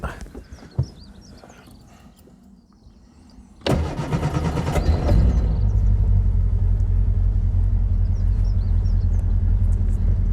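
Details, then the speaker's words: Cold-start idle after the car sat outside overnight, started on a bit of choke; catches then settles to a steady, even low idle with no knocks or misses. Oil pressure light dim, oil level down at the minimum. Normal cold-start idle. "Of course, she's been sat out overnight. She will probably want a bit of choke."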